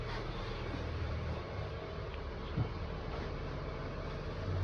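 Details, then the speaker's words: Honda after steering rack rebuild with repair kit, previously knocking hard: steady engine idle while the wheel is turned lock to lock, no knocking or rattle, steering soft; quiet steering rack, no knock. "Тук-тук-тук. Всё нормально, ничего не брякает."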